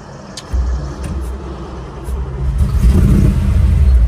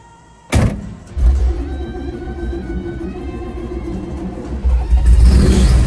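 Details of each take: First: 1955 Chevy 210 with 427 big block, tunnel ram, dual 4-barrel carbs, 4-speed, running rich, before tune-up, driving: deep uneven V8 rumble stumbling and loping under throttle; misfire, sounds like a loose spark plug. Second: 1955 Chevy 210 with 427 big block, tunnel ram, dual four-barrel carbs, 4-speed, on a drive after race gas added: strong even pull with rumble rising cleanly on throttle, no misfire; running better than the day before.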